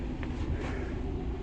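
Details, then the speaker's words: 1999 barn-find car left sitting for years, first start after a new battery, after initial smoking: steady, even low rumble with no misses, knocks or surging; engine settled into smooth idle. "is what I'm suspecting cuz look it's calmed down now and it idles"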